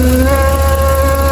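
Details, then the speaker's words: 2007 Jeep Commander power steering, a stand-in piece of rubber hose used in place of the correct one: a steady moaning tone over the idle as the hose collapses under suction, changing when the hose is manipulated. "Well, what's happening is this hose is collapsing, and if I hold it and manipulate it, you can hear that sound."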